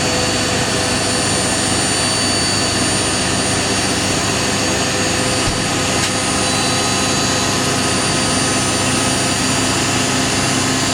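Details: Indesit IWC71452 1400 rpm washing machine, free, final spin ramping from 800 toward 1400 rpm: loud, even whirr at constant pitch, no thumping, rumbling or scraping; normal high-speed spin.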